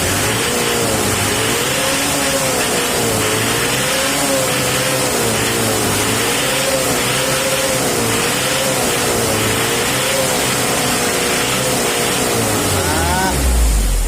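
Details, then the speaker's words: Mitsubishi L300 diesel after tune-up to the "Kodok balap" setting; smooth, even clatter rising and falling with throttle, no knocks or misses; smoother sound than the old setting, engine running healthy. "main-mainan kayak gitu setara dengan mesin setara dengan gerak body wes oke gitu aja dah sudah versi kodok bosku suara lebih halus"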